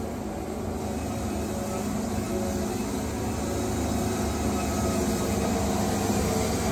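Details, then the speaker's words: Woodmizer Super 70 sawmill after drive pulley change, cutting dry older pallet logs: steady low motor drone bogging down evenly under the cut with no belt squeal or slip; healthy drive under load, no blade speed loss. "hear the motor fogging down that's what you want you don't want it to be slipping because when your belt slips then your blade loses speed"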